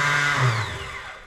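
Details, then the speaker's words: Reliant with a swapped ZX6R motorbike engine, starter motor jumped directly after clutch work: high whirring spin that winds down, with no cranking. The starter spins free and is not engaging the flywheel ring gear. "so we just jumped the St motor and it's just spinning it's not actually engaging the flywheel"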